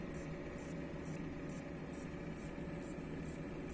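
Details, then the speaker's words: Furuno MU-231CE monitor, green indicator blinking, won't switch on, lamps blinking even with good lamps and new inverter board: faint hiss with sharp high chirps about twice a second from power board; probably broken capacitors or high ESR. "That sound going from power board - Most probably broken capacitors or ESR too high and it is not enough power - That why we see that blinking lamps"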